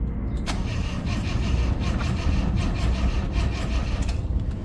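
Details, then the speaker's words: 1979 Honda Accord barn find cranked with starter while checking fuel pump; steady starter churn at two to three compression pulses a second, never fires; owners suspect fuel not being drawn, air in line, weak battery. "Il y a un souci parce qu'il n'y a pas d'essence qui... C'est bizarre parce que je pense que ça aspire pas bien là."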